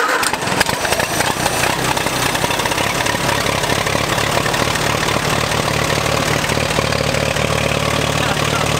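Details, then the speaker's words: Allis-Chalmers tractor that sat all winter, after roughly two hours of failed attempts because the key wasn't turned on: fires right up and settles into a steady, even idle with a regular low thump. Normal startup and idle. "he said yes and then we turned the key and it fired up"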